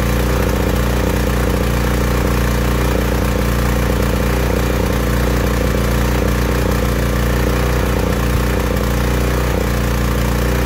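A small generator engine idles with a full, deep note broken by uneven sputters, typical of a rich mixture.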